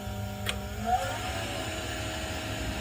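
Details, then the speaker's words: AO Smith Cyclone commercial water heater, about 6 years old, on an ignition attempt: steady blower hum with no igniter ticking and no flame detected; gas had been left off. "there's nothing going on in there I got the gas off I'm not hearing anything out of this thing"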